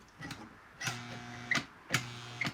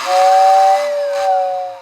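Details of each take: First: 1955 Lionel 736 Berkshire locomotive that won't run: irregular sharp clicks with brief electrical hums and no motor running; the E-unit reverse unit cycles but the locomotive doesn't move. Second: 1955 Lionel Berkshire #736 locomotive, first power-up before tear-down, which won't run: clear steady high whistle with soft hiss for about a second and a half, fading evenly; whistle works normally.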